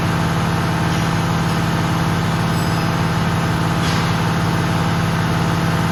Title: Abnormal sound from air braking system when pressure is full #automobile #fixyourmercedes